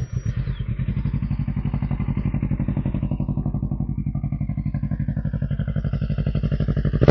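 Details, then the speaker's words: 2011 Kawasaki Versys 650 twin, 139,000 km, Leovince exhaust: even steady twin-cylinder idle with a quick throttle blip; engine sounds healthy. "okey bunyi enjin semua pun cantik lagilah beli pakai saja."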